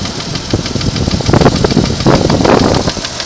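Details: 1992 Jeep Cherokee engine at idle: uneven ticking, roughly three per second, over a rough idle, a top-end tick of unconfirmed cause.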